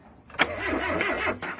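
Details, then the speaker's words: Mazda B2000 pickup after intake manifold replacement and intake leak repairs: short bursts of starter cranking with a wavering whir while given gas, fuel smell present, engine turns over but won't start; owner suspects the fuel pump. "So it's something other than, so I think it's a fuel pump."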